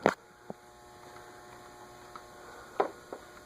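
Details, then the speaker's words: Ceiling fan in a furniture store, stuck and not turning despite attempts to free it; steady electrical hum with no blade whoosh, a few light taps, motor powered but seized. "Let's see if I can get it to move. I'm trying not to Poor thing. Nope, that's There's no hope for that one."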